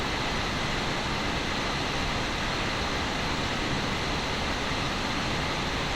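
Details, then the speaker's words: Valve Steam Deck handheld cooling fan after replacing the rattling fan with a new iFixit fan, tested at about 5300 RPM where it used to rattle: smooth, even airy whoosh with no rattle or buzz; normal fan. "all right I think that's more than good enough as you can tell no rattles no weird it's just fan sounding like a fan so I just say Mission successful guys"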